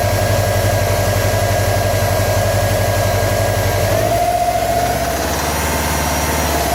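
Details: 2015 Subaru WRX STI flat-four idling during engine knock troubleshooting: uneven low pulse, then a brief rev; suspected knock, source not pinned down.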